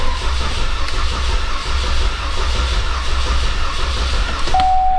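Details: 2014 Cadillac CTS4 2.0 turbo with a cylinder 1 misfire, cranked in clear-flood mode: lopsided, limping cranking rhythm showing low compression in one cylinder, which indicates major engine damage.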